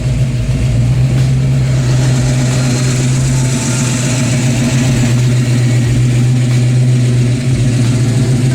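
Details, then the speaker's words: Ford Fox Body Mustang 302 V8 after GT40 heads, intake and B303 cam swap: deep, loud, uneven loping rumble at fast idle without throttle, pulses not quite even; sounds different than before, healthy V8 with lumpy performance cam. "it didn't sound like this before Oh man oh crazy difference real what the yeah I'm not even I'm not even like hitting the the throttle"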